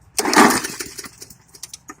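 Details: Hyper Tough lawn mower: one harsh cord pull, then scattered ticks and rattles dying away with no firing; turns over but won't start, disconnected plug wire suspected.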